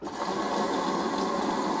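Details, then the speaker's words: LG F1029SDR washer with direct-drive inverter motor (no belt), errors LE/UE/CE: motor jams, turns slightly one way and buzzes with a harsh steady drone instead of spinning; motor-related fault, cause not confirmed. "неприятный звук ! Вот а он должен крутиться а его блокирует ..... И он в одну сторону чуть прокрутится и шумит ! Какой звук неприятный !"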